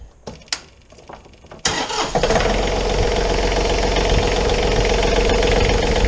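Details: John Deere 3520 tractor diesel started after engine oil change with John Deere oil, leak check: a few clicks, then catches promptly and settles into a steady, even idle with no knocks or misses.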